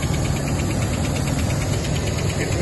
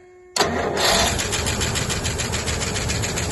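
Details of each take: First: Rolls-Royce Silver Shadow running about 30 seconds after a resistor bridge-wire repair: light regular tick, several per second, over steady idle, following engine speed; source not yet identified, owner doubts it is the power steering. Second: Rolls-Royce Silver Shadow after its broken ballast resistor wire was bridged with a joiner wire: brief crank, then it catches at once and settles into an even, steady run with no misses; starting normally again.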